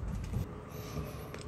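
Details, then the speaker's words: Car's front left corner gives dull, loud low thumps and clunks over bumpy roads and speed bumps but is silent on smooth road; the cause is a worn, cracked tie rod bushing linked to the steering rack. "Ketemu jalan bergelombang atau mulai jalan polut folder ya polisi tidur itu dia mulai bunyi yang berisik"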